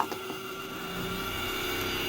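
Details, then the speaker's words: 1982 Mercedes 300D (W123) diesel barn find, key on with engine off: a steady electric whir from the auxiliary fan, while none of the window switches work; this points to the auxiliary fan/window switch relay. "i hear the fan you hear the auxiliary fan up there okay so i noticed the auxiliary fan comes on and none of the window switches work"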